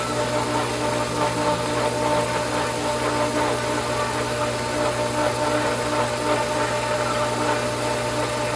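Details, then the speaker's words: Pool pump at season opening, skimmers and main drain valves set: steady motor hum with light rushing, gurgly wash as it pulls air while priming; normal, only a trickle of water so far. "lake now you hear that that's a good thing because that means that we're on the way"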